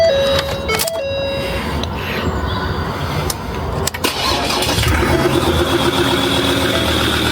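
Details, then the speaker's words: Ford Ranger Wildtrak 3.2 diesel before repair, turbo gasket blown on one side after its bolts came loose: cranks, catches and idles with a faint high chirping squeak from below; turbo gasket leak squeak. "That turbo is still squeaking a bit down there. It's just the gasket."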